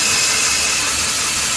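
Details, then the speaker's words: Freightliner truck, parking brake released, quick release valve already replaced without effect: continuous sharp, high hiss of air bleeding through the quick release valve from a leaking brake chamber. "air valve right here which runs into our brake cars so that's only telling me that we have a bad brake pod somewhere"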